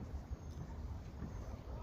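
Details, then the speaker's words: Mercedes C63 after fixing loud suspension squeaks by spraying lube on the upper and lower control arm bushings and ball joints: only a low rumble and wind as the front end moves, no squeaking, perfectly quiet now. "no more squeaking noise no nothing perfectly quiet now"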